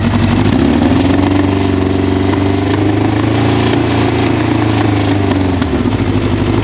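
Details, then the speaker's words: 1988 Honda CBR1000F Hurricane, just over 30,000 miles on original engine: inline-four idles and blips cleanly with a light metallic cam chain rattle at idle, more pronounced after releasing the throttle, gone by about 2500 rpm; common on first-generation CBR1000s. "this machine has some cam chain noise at idle which is incredibly common for the first generation 1000 cbrs"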